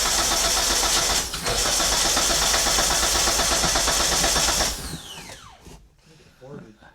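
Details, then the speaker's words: Flood-damaged Mitsubishi Eclipse: the starter spins the engine at a steady, even churn but it never catches, then cuts out. There is no spark and no fuel pressure, and the check engine light flickers dim and bright. "I don't think we got spark yep so no spark no fuel pressure"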